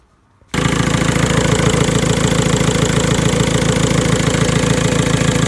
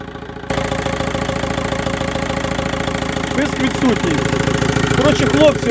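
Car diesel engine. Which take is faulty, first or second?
first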